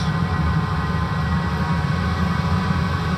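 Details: 5 kW diesel air heater installed under the kitchen of a 28 ft motorhome, replacing the LP furnace: steady, even, fairly quiet low rumble with a soft airy hiss and no knocks or surges. Normal running.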